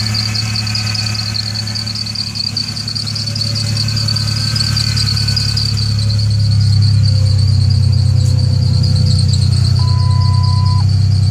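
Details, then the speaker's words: 1998 Ford Ranger 3.0 V6, backfires on starting: deep engine drone with an irregular stumble and a steady high squeal from a squeaky belt; very bad misfire, hesitates badly in gear. "I'm having issues with backfiring upon starting and a very bad misfire"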